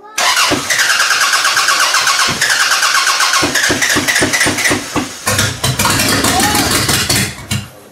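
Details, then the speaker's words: Toyota Camry demolition derby car first start after jumping power to the computer, limited wiring: cranks, catches, then stumbles with uneven sputtering misses, no steady idle; owner suspects lots of fuel in the exhaust. "She's not happy. Huh? She's not happy. Well, she's probably got fucking 10 liters of fuel in the exhaust."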